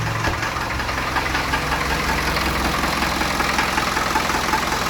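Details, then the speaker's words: Land Rover 2.25 diesel cold start after sitting a month, out of gear. It clatters slow and a bit uneven as the idle sags too low, to be raised on the hand throttle. "idol's gone down a little bit low just not it up a bit on the um the hand throttle"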